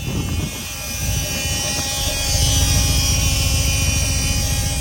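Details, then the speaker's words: 1985 Mercedes 500SEC Euro coupe idling, microphone near rear fuel pump: steady high-pitched whine from a brand-new but noisy fuel pump; also one spark plug wire torn and another plug disconnected. "did you hear the noise from the fuel pump back here it's an obvious wine"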